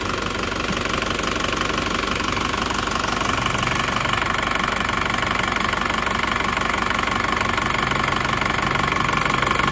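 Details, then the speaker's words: Isuzu Panther diesel that had 15 bar compression, cold idle after the repair: steady, even clatter with no misses, knocks or rough patches; smoother than before the repair. "Kelihatannya sudah lebih halus lebih renyah"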